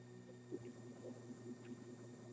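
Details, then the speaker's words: Stepper motor speed raised from velocity 512 to 1024: even buzzing hum that grows louder with a thin high hiss as it spins faster, no skipping or clatter; normal running at higher speed. "And you can see it moving faster, but you can also see it running louder."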